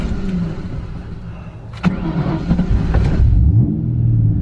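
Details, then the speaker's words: Mustang project car after fuel filter replacement, started just after filling up with a full tank: cranks, catches briefly with uneven bursts, won't settle into idle; owner suspects air entering the fuel system, filter didn't fix it. "usually when we hit gas and turn it on it will not start an idle after that"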